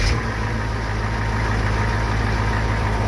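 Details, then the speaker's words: Chevy 6.2/6.5 diesel after its stuck injection pump was freed by heat-cycling with denatured alcohol: it cranked hard and smoked, then fired right up. Deep, even clatter at a steady low idle with no misses; the repair succeeded. "but once it started firing up I revved it up and well she fires right up"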